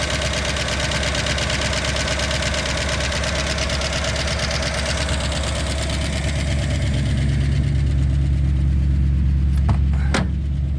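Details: 1963 Ford Galaxie 500 convertible barn find, 289 V8, first start in 30 years: steady idle with a fast, even light tick, about three a second. Valve train ticking; owner hopes lifters are just stuck and may run automatic transmission fluid to free them.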